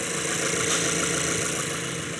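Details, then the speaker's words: 2012 Mazda 3, 2.0 L naturally aspirated: cylinder 4 is misfiring heavily; uneven, lumpy idle with occasional stumbles over the running hum. "It's at 255 for number four. And it gets worse. So, like it it feels like a dead miss now."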